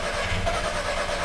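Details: VW Passat no-start (no spark, no injector pulse, no communication), traced to a bad sensor ground: steady, even cranking with droning starter, engine never catches; crank-no-start.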